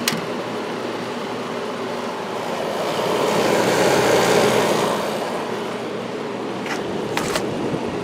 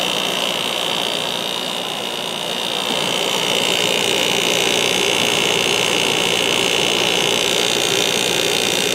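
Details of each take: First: 1994 White Westinghouse 5,200 BTU air conditioner, Goldstar compressor, shaded pole fan motor, on low about 3.9 A after sitting unused: fan rush with loud compressor hum that quiets after a few minutes as pressure builds. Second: 1994 White Westinghouse 5,200 BTU air conditioner, Goldstar compressor, on low fan at about 3.9 A: an even hum with steady airflow hiss; the compressor is briefly louder after sitting for a long time, then quietens.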